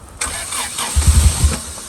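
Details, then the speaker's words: Car being rebuilt, retrying start after intake backfire: short uneven burst of low starter thumps, never fires; crank no start, same issue as before, believed a fuel problem, timing questioned, fire later seen in engine bay. "All right. So, we're having a fuel problem."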